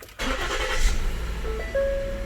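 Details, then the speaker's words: 2013 Ford Explorer after replacing the bank 2 catalytic converter: engine cranks, catches cleanly and settles into a quiet even idle with no exhaust leak puffing or ticking; normal start and idle. "nice and quiet sounds healthy won't hear nor exhaust leaks perfect"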